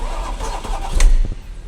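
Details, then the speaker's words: Porsche Panamera with Mansory kit and a dead engine, cranked to check camshaft rotation: heavy, uneven cranking with a harsh metallic grinding scrape that stops when it seizes suddenly. The camshaft turns, apparently only one. Cause suspected, not confirmed. "Il se bloque d'un coup, hein. Ouais, mais il est horrible le bruit."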